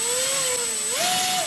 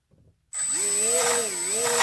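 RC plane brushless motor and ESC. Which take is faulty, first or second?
second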